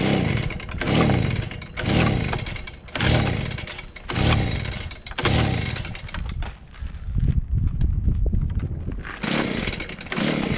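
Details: Stihl BG55 handheld leaf blower, two-stroke, primed and started on choke after fitting a new aftermarket carburetor: catches, runs in rough surging bursts about once a second, then settles and keeps running; it's firing.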